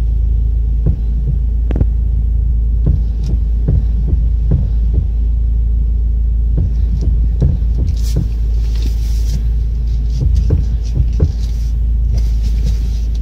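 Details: Steering column play: irregular dull clunks each time the wheel is rocked back and forth, traced by the mechanic to the upper steering shaft universal joint, found broken and worn.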